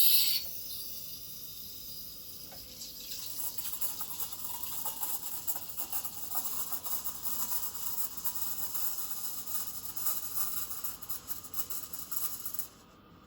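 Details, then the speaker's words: Breville Dual Boiler BES920BSS steam wand texturing milk: about 10 seconds of aerating near the surface, then the jug is raised so the wand sits deeper. The sound shifts, distinct while adding foam, then an even smooth hiss. Normal milk steaming. "as you as you heard the noise is really different quite distinct when it's ating and adding that um foam um and when you it's just like a hissing n"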